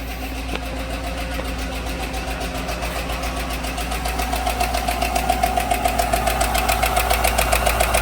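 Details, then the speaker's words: 2016/17 Chevy Silverado 1500 4x4 5.3 V8 idling after reassembly, with a bent pushrod and broken lifter found. Misfire is gone, but a sharp, even tick remains at three to four a second; another bent pushrod on the other bank is suspected. "So we're going to start it up and have a look at misfire counters now. It's interesting, it's still got a tick in it."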